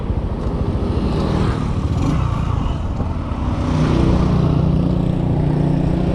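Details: Kawasaki Boxer 150 on a road test after conversion to a 4-pin CDI, replacing the failed original: steady low exhaust beat rising cleanly with throttle, no popping or misses; engine pulling normally.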